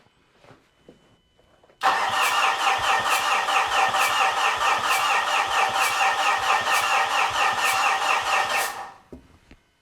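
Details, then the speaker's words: Fuso FG truck 4P10 diesel after long no-start, newly installed and coded injectors with fuel lines refitted: cranks briefly, catches, settles into steady even diesel clatter about seven seconds, then shuts off; starts cleanly, not fully fixed. "Fixed? No. Figured out? Yes. Such a beautiful sound."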